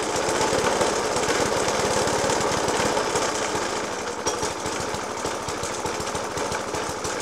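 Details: Suffolk Punch 30S mower, 1991 era, Dellorto FCH 20 carb; after new spark plug, decoke and carb clean, still rough uneven idle with heavy rapid banging and no steady beat; cause not pinned down.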